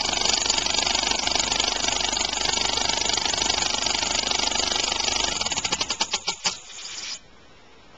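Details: Homemade compressed-air engine (aluminum valve shaft/crankshaft in a steel bore, sloppier after about 15 minutes' running), started just past top dead center: fast, hissing chuffs about 3.5 per second, uneven and rough, then it slows and stops; out-of-balance flywheel and early valve timing.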